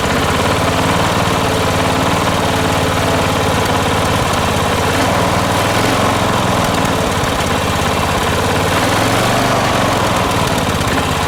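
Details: Late-1980s John Deere RX95 ride-on mower rescued from the curb, first run after the fuel line was hooked to the carb: the small engine holds a steady, even note with no surging or sputtering, running smoothly.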